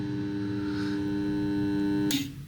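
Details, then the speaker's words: Whirlpool heat-pump dryer compressor: steady electrical hum for two seconds with power present, then a click and silence as the compressor fails to start and goes into protection; failed compressor start capacitor needs replacing. "the start there is power to the compressor but it doesn't start and therefore we know that when it makes this noise the compressor doesn't start the capacitor needs to be replaced"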